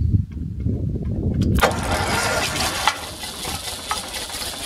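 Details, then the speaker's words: Ferguson TED 20 tractor started after about ten years of neglect, with choke on and starter shorted with a spanner, modern petrol in tank: cranking chatter, catches at about 1.5 seconds, settles into steady even running beat. "over the years this old tractor has surprised me many a time by starting after several years of neglect"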